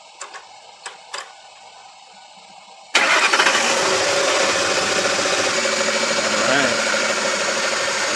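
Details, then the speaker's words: 2006 Ford F150 started for an alternator test: quiet, then catches at once and settles into a steady, even idle with no belt chirp or belt jumping. Normal start and idle; the alternator tests good. "The belt's not jumping everywhere, which is good with me."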